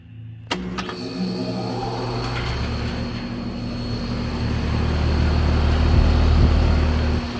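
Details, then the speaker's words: Replacement compressor in a two-year-old HVAC outdoor unit (original had blown terminal; filter dryer swapped, coil mostly cleaned) starting up: thump on kick-on, then steady low hum building smoothly, no knocking or rattle; healthy startup. "Alright, so we just started up the unit. Compressor sounds good on startup."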